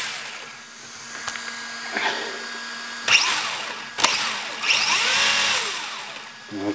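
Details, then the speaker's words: 3 Racing Sakura D3 CS Sport RC car after a center belt fix with a Sakura zero D tensioner: high motor and belt whir in throttle bursts with no grinding. The belt still hops a bit, but much less than before. "it's going to hop up and down as much as it wants to but it's it's not doing it as bad anyway"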